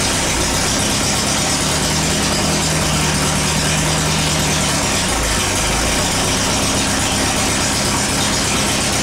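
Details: Air-cooled VW after transmission work: engine runs steadily with brief rev dips as gears are selected; all four forward gears and reverse shift with no crunch or grind.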